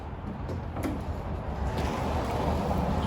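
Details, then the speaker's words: 1947 Willys CJ2A pulled from long barn storage: a couple of sharp clicks with no cranking whir; the starter solenoid works but the starter motor is dead, and the starter does not seem stuck on the flywheel. "I think the starter solenoid's working. The starter is not."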